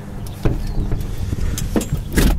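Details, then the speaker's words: Subaru Ace M70 Super Deluxe kei car, first start attempt after rewiring and a charged battery: uneven cranking with loud bursts and low chugging that never settles into an idle; cranks but won't start, owner suspects the timing is off. "Holy shit. Sounds like it wants to run."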